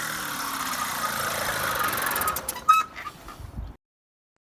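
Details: Solex 2200 moped on a road test after restoration: light buzzing two-stroke note, fairly steady with some wind and rattle before cutting out; runs healthy.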